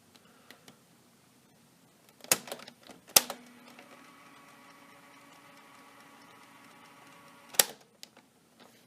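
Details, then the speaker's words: PowerTronic Take-a-Long portable cassette player after reinstalling batteries: a few sharp clicks seconds apart with faint motor whir; the transport tries to engage but never plays. "my hon I don't think that's gonna have a much as I'm spinning the volume dial it sounds like something's trying to work"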